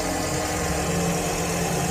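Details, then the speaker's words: Toyota Vios Gen 3 sedan, 125,368 km, idling in neutral with AC off; smooth, even idle hum with no stumble, tick or knock, not rough; engine sounds healthy. "Nggak pincang juga, nggak kelihatan pincang. Dari suaranya juga masih normal semua."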